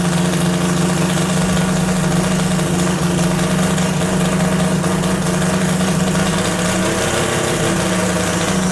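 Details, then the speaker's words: Three-rotor Mazda RX7 FC drift car, first start after a new turbo and other changes, after sitting a long time; loud, choppy but steady rotary idle with a constant low drone and no knocks or misses, healthy. "holy crap that's wild it sounds even crazier than before"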